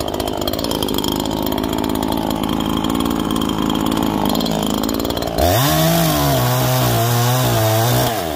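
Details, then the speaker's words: New Neo-Tec NH843 chainsaw on its first tank, at factory carb settings during break-in, cutting at full throttle then revving free with a burbling unsteady four-stroke: excessively rich on the high jet. "overall not a bad little saw I could tell it's got potential because of the four stroking you could hear it's going four stroking so bad it's excessively rich on the high jet but it's cutting"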